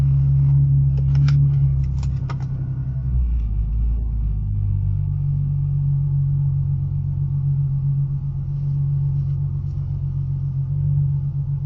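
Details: Ford Mustang driving with a deep, steady, droning rumble from underneath. The rumble was traced to newly installed brake rotors and then fixed.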